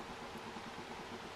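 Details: Acer Aspire V17 Nitro Black Edition VN792 laptop at low fan speed: quiet airy fan noise with a faint low buzzing hum, spike around 400–500 Hz; vibration suspected from the fan or a nearby component, quieter when handrest pressed.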